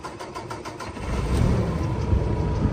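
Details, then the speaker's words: 2015 Kenworth T880, Paccar MX-13 12.9L diesel fully rebuilt a year ago, 485k miles, Eaton 18-speed manual, fully deleted, new turbo and actuator. About a second of quick, even cranking, then catches at once into a steady, healthy idle. "She fires right up, runs good. Truck that's been in use and ready to continue to be used."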